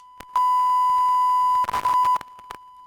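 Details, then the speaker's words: DBX 286s channel strip, faulty preamp input stage, tested with a smartphone frequency-generator tone into a microphone: steady test tone suddenly breaks into crackly garbage for about half a second, then drops away. "so it's not only that for example you have you have a popping sounds or that you have intermittent audio like it's the case in this sample here that for example you have intermittent audio while speaking it can also be this here so really weird sounds"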